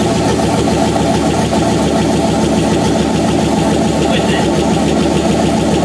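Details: Chrysler 318 V8 from a Grand Cherokee with an AW4 transmission swapped into a Jeep TJ, running on fuel after gas leaks were fixed, no gauges fitted. Steady, even V8 rumble with no knocks or misses; the engine runs healthy.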